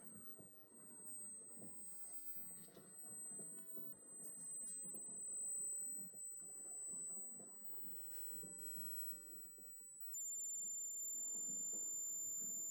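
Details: Large oscillator coil (Joule-thief-like circuit) charging a capacitor bank: a thin high-pitched whine holds steady, then steps through tones as the charging current falls. Normal coil whine.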